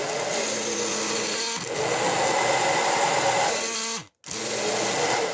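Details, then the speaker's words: Hair dryer still heating fine but running with a loud, strained, droning motor roar; suspected motor catching on something such as the fan or dirt, found to be hair wound on the fan shaft making it drag. "Me parece que o motor dele está travando em alguma coisa, em algum lugar. A ventoinha, alguma sujeira, alguma coisa aí."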